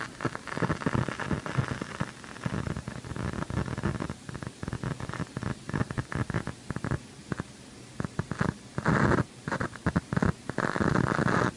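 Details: KRK Rokit RP5 G2 studio monitor: irregular crackles, pops and sharp snaps between rough static, regardless of outlet or cables; fades after a few minutes of warm-up, and its logo light is dimmer than the working monitor.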